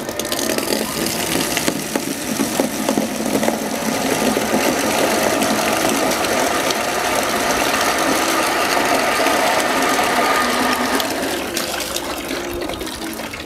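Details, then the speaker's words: Shimizu water pump drawing from a distant water source: an even, steady motor hum with a light rattle, no surging or grinding; running smoothly and normally. "menurut saya suaranya cukup halus ya kawan ya jadi seperti itu"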